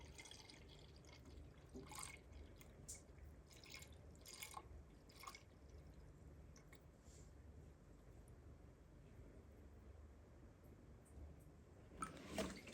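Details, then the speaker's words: Ford/Lincoln 3.5 V6 during in-car timing-chain-driven water pump replacement: quiet irregular dripping and trickling under the car, coolant running out because the radiator drain was left open. "I heard a sound, and I know what the sound is. That sound was the drain for the radiator still being open. So always check your drains."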